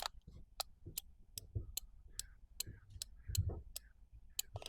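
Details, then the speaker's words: Known-good relay from a Ford Transit camper with no-start and ignition not switching on, bench-tested with earth applied: sharp crisp clicks about every half second, contacts closing cleanly; the original relay was dead. "so that is throwing the contact over"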